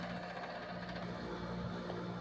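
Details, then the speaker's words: Another 7500 BTU window air conditioner beside a GE Slumberline: steady low buzz with a rattling edge, even vibration; cause unknown. "This is another 7500 BTU next to the GE slumber line. See if I can get it to stop vibrating. I don't know why it's doing"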